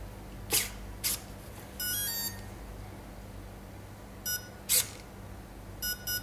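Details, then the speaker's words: ESC on a 3-cell LiPo, transmitter held at full throttle while the battery is plugged in: two quick high chirps from the motor, then a longer tone and more chirps, confirming high-throttle calibration before the stick goes to the bottom. "it went across and gave two beeps it confirmed yes beep beep then push it all the way down"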